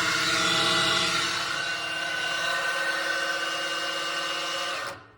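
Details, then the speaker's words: Worn pinion bearing from a 2021 Ram 1500 9.25" rear differential at 60k miles, spun by a drill on the bench: loud gritty roar under the drill whine. It ran dry after the pinion seal failed, leaving it a quart low on fluid. "And I'm gonna spin this bearing up, and you can hear how loud it is. You will hear the drill too, but you'll also hear the roar in the bearing."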